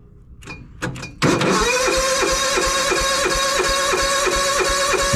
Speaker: all right we are moving to the John Deere usually I have to do full choke on this thing full choke